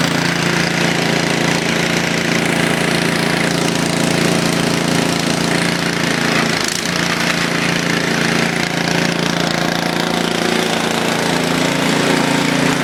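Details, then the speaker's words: Craftsman YTS 3000 tractor cold-started with choke after sitting about two weeks, battery untouched; loud, steady drone with even beat around three or four per second, no misses or stumbles, running normally. "let's start it up choke it start it off that started right up that's going to sit in foam what about two weeks think it hasn't been started in two weeks"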